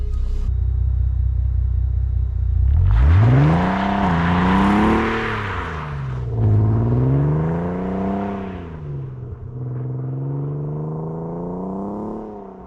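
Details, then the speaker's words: 2009 Audi TT 8J mk2 3.2 VR6, automatic with magnetic ride, nearly 300,000 km, start and revs: starter whirr, clean catch, smooth rising and falling revs with even deep note and no knocks; healthy engine despite small oil drip where gearbox meets engine. "Just listen to that when you start it up. It makes fantastic noise."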